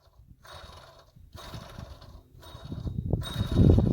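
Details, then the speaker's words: Mercedes CLA250/GLA250 (W205-platform belt), serpentine belt removed, water pump pulley spun by hand: rough, gritty growl in uneven bursts, louder each spin; worn-out water pump bearing. "sounds hideous bearing is shot sounds awful well that sucks water pump is a huge job on this thing"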